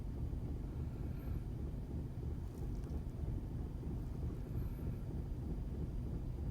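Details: 2006 Audi A4 B7 TSI, cold morning idle: low rumble that hunts unevenly about once a second instead of running smoothly; rough idle, cause not identified.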